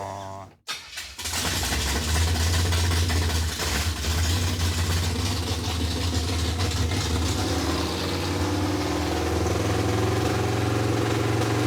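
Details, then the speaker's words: Junkyard Chevy Tri-5 V8 with a small camshaft and dual-plane intake, after getting it running: it cranks and catches within a second, then settles into a steady, even rumble with no knocks or misses. Fixed and sounding healthy. "it is fixed dude it's freaking fixed it sounds pretty good too"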